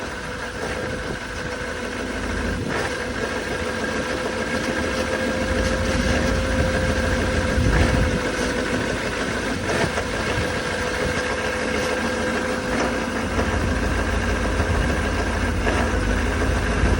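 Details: 2019 Duramax diesel pickup idles with an uneven, lumpy clatter and a faint whine, started cold at 15 below zero. The truck has run rough like this since new.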